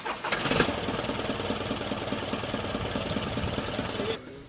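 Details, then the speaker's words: Isuzu truck engine after fixing a no-start caused by wrong timing and tight valves: with the valves properly adjusted it turns over freely and settles into a busy, even clatter with no labouring. "As you can see the engine is rotating freely. All the valves are adjusted properly."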